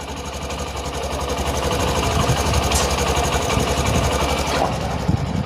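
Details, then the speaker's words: BS6 Honda Shine fuel-injected single-cylinder bike after new injector fitted to fix missing and starting problems, just started: steady even putter at idle with no stumbles or dropouts; normal idle. "तो ignition on हुआ, एक बार इसे of करेंगे, on करेंगे, start हुई bike. Idol पे छोड़ देना है।"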